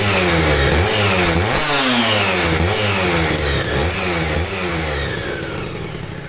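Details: Aprilia RS125 1990s two-stroke on temporary battery after coolant leak repair, with new air filter and modified airbox: crisp blips about twice a second rising and falling cleanly, no misfire or rattle; revs freely, runs sweet.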